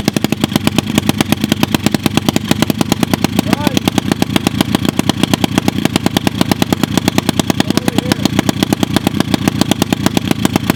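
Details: Lake-recovered mini pit bike after first oil change (milky oil drained) and fresh oil: sharp, even popping about ten a second, steady with no misses; carb still needs tuning; single cylinder idling properly.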